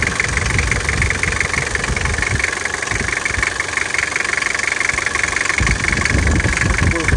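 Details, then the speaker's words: Nissan TD27T diesel after injection pump repair (plunger pair, seal, vane pump, rebuild kit replaced), runs rough: harsh metallic clatter about three times a second over the idle; knock appeared after repair, origin unknown. "а не нравится какой-то лязг подозрительно заведем вот он сразу этот лязг"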